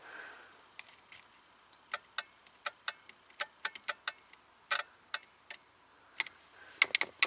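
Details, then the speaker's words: Relay chattering in uneven bursts of dry clicks when a key-on fuse row is touched on a 2003 Ford F450 6.0L Powerstroke diesel V8 wrecker, 56k miles, with a crank no-start and electrical glitches; the low voltage on that row won't light a test light, cause unknown. "It doesn't even light a test light and it makes some relay click. That's That's really weird."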